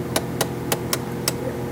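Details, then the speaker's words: Refrigerator freezer defrost timer turned counterclockwise with a screwdriver through the housing hole; six small sharp ratchet clicks about a third of a second apart while advancing; normal defrost timer advancing clicks. "And you're going to keep turning it counterclockwise. You'll hear the little clicks. You hear them?"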